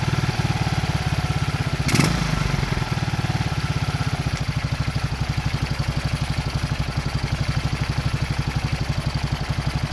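Even single-cylinder thump at about four beats a second after a quick blip; steady, no knocking or rattle, a healthy idle.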